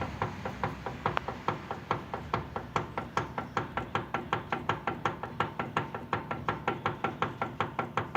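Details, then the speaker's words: Steering knock: dry regular metallic knock two to three times a second; suspected from the rack gearbox, tie rod end, or under the boot, as it stops when the tie rod is held; source unconfirmed. "звук исходящий из рейки ты похоже что где-то из редуктора сюжета может быть наконечник лили нужно подтягивать какую вот металлический звук"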